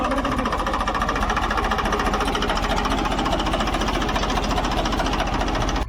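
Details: Diesel engine and pump after mechanic's repair, run-tested under load: crisp, regular diesel clatter at about 3.5 beats a second, firing evenly without stumbles or misses; sound right and taking load properly, normal running.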